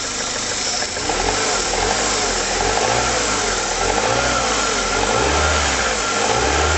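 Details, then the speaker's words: Rover 75 engine at 33 degrees, cold, idle control valve bodged to lower a 1200-1500 rpm idle, running rough as if on about 3¾ cylinders: revved and dropping back with a lumpy note and light rattles on throttle lift-off; cause not confirmed. "You can hear there's a few rattles when you take your back off the throttle a bit."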